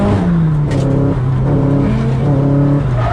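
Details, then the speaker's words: Nissan S15 turbo engine: stumbles and sags unevenly under load, a misfire from fuel starvation because the fuel line fitting wouldn't seat in the R34 bracket and lost pressure; fixed after remap at 1.2 bar boost. "that's why I wasn't getting any fuel to the engine and that's why it was making this horrible noise of Sto"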